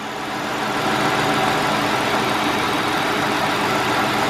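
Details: 2005 Hyundai XG350L V6, previously rough idle with codes P0350, P0300, P0302, P0305; coil swap didn't move misfire, wiring and connector repaired: steady even idle, no misses or stumbles, firing cleanly on all cylinders.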